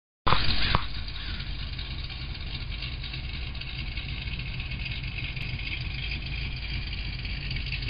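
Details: Corsa exhaust system at idle: a deep, loud idle with a puffing, ticking chuff from leaks at the exhaust joints. Some unrelated clacking comes from the car being mid-build.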